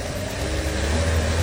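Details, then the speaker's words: Car that would only start in the morning and not restart once turned off, water temperature normal, after repair: restarts and runs with a steady, even low hum, no misses, knocks or hunting; engine running smoothly, problem solved. "look here the engine is running very smoothly the problem has been completely solved"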